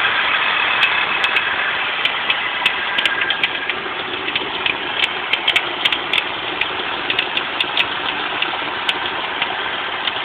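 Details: Volvo 850 at idle: steady running with a bright whirr and scattered sharp ticks from the belt drive, from a bad idler pulley.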